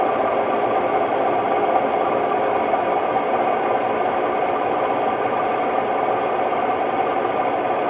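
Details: Hotpoint Ultima WMD960 washing machine, recently acquired, test spin: loud constant roaring rumble with a rough rattling edge, no letup; worn drum bearings.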